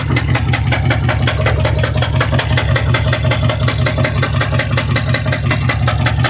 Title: mercedes benz s550 w221 4 matic what is that noise?